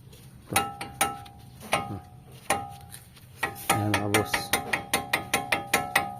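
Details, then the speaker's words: Tamaraw FX wheel while driving: sharp metallic ticks with a ringing tone, like metal scraping, from the brake caliper. The caliper also leaks fluid that damaged the mag wheel paint. "Tapos may meron pa siyang isang concern mga boss kapagka umaandar is ano ah parang may bakal na tumutunog sumasayad."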